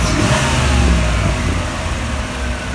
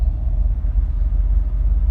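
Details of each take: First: 1987 Camaro IROC 350 V8, original engine at 115,000 miles, first start after top-end rebuild with cleaned injectors swapped in and vacuum lines replaced: fires with a brief rev, settles to a steady even idle around 600–650 rpm, no check engine lights, healthy, no weird noises. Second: 1987 Camaro IROC V8 running after a new injector, not driven in years: a deep, slow idle that sits a little low and stumbles slightly. Owner expects it to smooth out with driving; oil pressure also reads a little low.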